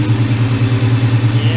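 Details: Ford Mustang GT (99-04) V8 idling after installing a new SR Performance 130 amp alternator in place of the stock 105 amp; steady, even low rumble with regular pulsing, no ticks or squeals, no battery light; normal idle.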